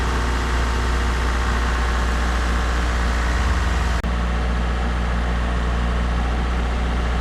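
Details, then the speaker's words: Mazda MX3 automatic after torque converter replacement, previously squealing: steady, even low idle with no knocks or ticks and one brief click; normal idle, squeal gone. "It's running and sounding great. Goes through all the gears, and best of all, no more of that annoying squealing."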